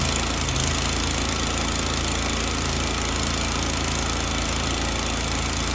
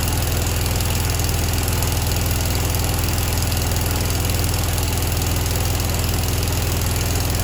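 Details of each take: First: Grasshopper 727KW mower with Kawasaki FD750D horizontal-shaft twin, after cleaning one gummed-up side of the double-barrel carburetor: steady, even drone with no misses or surging; both cylinders now firing, where before it ran on one and bogged. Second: Grasshopper 727KW mower, Kawasaki FD750D horizontal-shaft twin: lumpy, lopsided low thudding idle, no change when the right plug wire is pulled; running on one cylinder, coil and plug tested good, one side of the carburetor gummed up.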